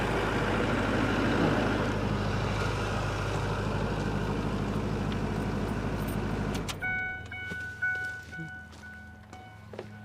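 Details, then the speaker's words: Diesel engine in a newly bought service truck, starting easily and idling with an even clatter and no misses or knocks; owner notes it started right up at about 30 degrees the other morning; sounds healthy. "so don't sound too bad it starts up easy it was about 30 degrees the other morning i had to start it up and move it and started right up"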